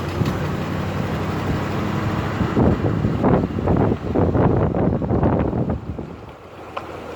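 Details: Jeep WJ driving through a right turn then a left turn: irregular clunky clicks, roughly two a second, through wind and road rumble; owner suspects a bad CV axle, unconfirmed.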